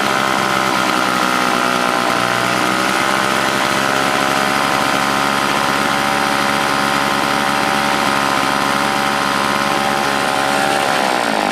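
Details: Old Toro S-200 snowblower two-stroke, hard to start when cold: steady buzzing note sagging slightly near the end, lean and hunting; owner says primer seems to be looking for gas despite plenty in tank, suspects carb diaphragm; rough running.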